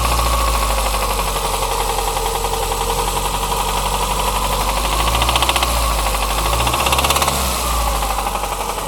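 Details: Toyota Corsa with 5E-FHE engine that started knocking: heavy uneven knocking over idle, about three to four per second, deep bottom-end sound; suspected connecting rod knock, engine needs opening up.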